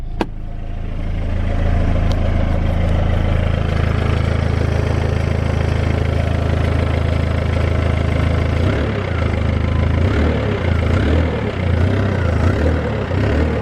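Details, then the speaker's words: BMW E46 with 200,000 miles warming up at idle: steady petrol idle with low uneven puffing that turns choppier. Exhaust leak; owner suspects a failed flexi section on the downpipe. "I know we have an exhaust leak. I think the flexi has probably gone on the downpipe. If I open the door, you'll probably be able to hear it."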